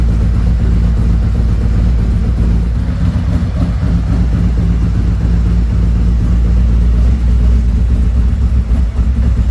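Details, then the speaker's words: 2017 Harley-Davidson Ultra Limited 107 with newly installed Thundermax EFI and Bassani, during the second auto idle tune while warming up toward 180 degrees: deep, steady V-twin idle with an even loping beat and no knocks or ticks; normal idle. "Okay, we're doing the second idle tune. We'll We're waiting for everything to settle down here, and it looks like it's going to be okay."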